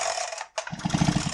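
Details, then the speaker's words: Husqvarna 372 XPG chainsaw that the owner thought was seized: its chain was mounted between the rim drive and its retaining washer, binding the crank and clutch. After the chain is refitted correctly, the starter gives a quick, even ratcheting whirr and the engine turns over freely. "now it spins just fine and that is your repair right there Matt"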